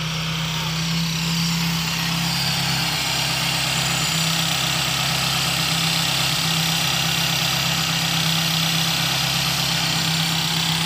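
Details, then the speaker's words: 1990s Toyota Corolla 16-valve carburettor engine that stalled on clutch release, after idle adjustment to about 900 rpm: smooth, even idle with no shake or hunting and outdoor hiss behind; carburettor settings seem right. "tidak ada lagi pinjam tidak ada lagi bergetar mudah-mudahan setelannya ini cocok ya"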